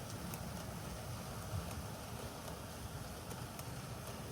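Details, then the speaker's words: Bachmann Class 47 BR green DCC sound-fitted model locomotive, sound off, on a 2.35° gradient at speed setting 20: quiet steady low hum with faint light ticks, no cogging or surging, smooth running. "And you'll see that this one gives no cogging at all. This is a lovely runner. No issues whatsoever."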